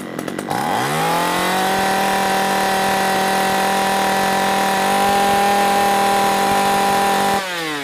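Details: 345/346 chainsaw with earlier unstable running and hard starting, after carburetor cleaning: starts, revs up and holds a steady high buzz for about six seconds without surging, then drops back cleanly.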